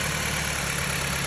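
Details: 2007 Jeep Compass after replacing the misfiring cylinder's spark plug and ignition coil: even, steady idle with a smooth low hum and no skipping beat; all cylinders firing cleanly.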